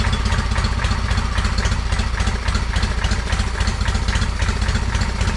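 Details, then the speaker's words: John Deere 317 lawn tractor after engine reinstall, just started, choke off, air cleaner not yet fitted: slow deep uneven putter about four chugs a second, barely holding on; idle speed needs increasing. "so i took the choke off so it runs i definitely think we got to increase the speed here"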